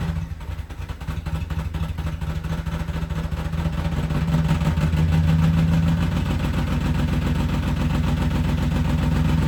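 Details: BMW E34 530 at cold start, clutch going out; heavy low idle with a fast steady rattle about three to four a second, building as it warms; noise from the failed clutch.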